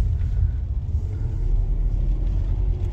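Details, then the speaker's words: Smooth low rumble on the move in a BMW 7 Series E65/E66 on its first drive in a year after repairs; no knocks, ticks or whines over the road noise, engine sounds good, though something was heard in the front. "the engine sounds good"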